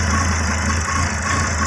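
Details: 2006 Volvo XC70 after engine rebuild, code P0016: steady low idle with a slightly uneven, loping pulse and faint high hiss; rough idle, owner suspects cam gear adjustment, cam solenoid power or timing being off.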